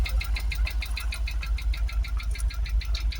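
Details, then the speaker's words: Jaguar XKR supercharged V8 just restarted after twin fuel pump replacement, after years stationary, running on seven or six cylinders, no smoke; deep V8 idle with light rapping about twice a second; knock from the supercharger. "um yeah we've definitely got a bit of knocking from the supercharger"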